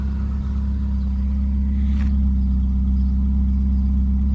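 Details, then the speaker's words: Austin Maxi idling after new spark plugs cured a misfire that made the exhaust pop and gave a slight shake; now a steady, even, smooth idle with no popping or stumbling. "That sounds brilliant. Absolutely perfect now. So yeah, it was definitely a miss. It's running smooth before it had a slight, tiny little shake to it."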